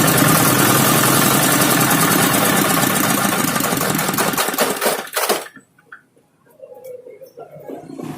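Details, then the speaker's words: Dongfeng single-cylinder diesel, hand-crank started after replacing the cylinder head gasket and bearings (earlier a water leak and rough running): fast, even chugging at about four beats a second, steady and crisp, then winds down; runs healthy. "Nah, oke, sudah hidup guys, sekian dos."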